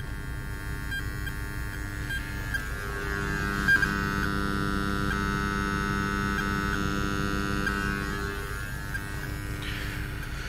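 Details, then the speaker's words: Steady hum with a high whine and faint crackle from car speakers at any volume, from a Bluetooth adapter on AUX powered by USB; no galvanic isolation, fixed with a B0505S 1W isolated converter in the power line. "вот я столкнул собственно с таким косяком посторонний шум писк треск из колонок"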